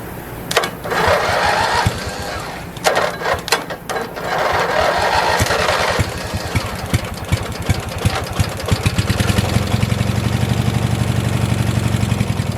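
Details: 1986 Murray lawn tractor after carburetor cleaning, no fresh gas added, cranked on residual carb spray: repeated cranking bursts with uneven chuffing before catching and running unevenly; the choke keeps pulling itself closed.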